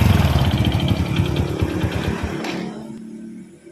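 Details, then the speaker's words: Supra X motorcycle engine at rough idle: steady deep knock about four per second sourced mid-engine, fading as it slows; worn or damaged connecting rod big end requiring engine teardown. "Baik kang Bro untuk suara mesin kasar semacam ini berada di tengah untuk sumber suaranya ya"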